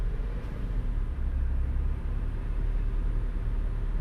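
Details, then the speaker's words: Car after adding 12% idle increase for AC; steady low hum with no dips as AC compressor switches on and off: normal idle with AC on. "Look how flippin' stable that is. On. And off."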